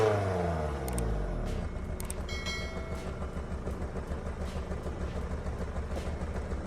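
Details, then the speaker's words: Honda Accord bought secondhand: idle shakes with an uneven, stumbling low throb and a lumpy beat instead of a smooth hum. Engine clearly running rough, cause unknown. "This Honda Accord was purchased off of Facebook, and as you can hear, it's definitely not running right."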